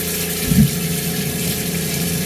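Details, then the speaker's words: Cointra CPA11 LPG boiler with new water pump on a 1980s 36ft Springer narrowboat, first hot-water test at the sink: steady pump hum, soft whoosh as burner fires, then even running; water warming quickly, normal operation. "can hear the boilers just fired up let's give it a minute and that's already getting warm so we have hot running water on our bow"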